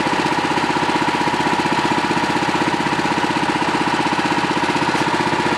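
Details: Pluk-O-Trak orchard vehicle, engine running near the alternator V-belt: steady high squeal over an even beat at about 158 pulses per minute; owner suspects a slipping V-belt.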